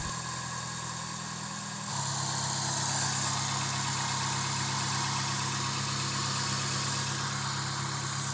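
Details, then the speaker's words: Suzuki Swift after the coil cables were reconnected: a low, rumbling idle that steps up and stays uneven, because the air-flow sensor has no filter and is not reading stably. "Oke kita lanjut coba hidupkan yo suaranya masih gemuru ya karena sensor udaranya tidak ada filter jadi masih membaca tidak"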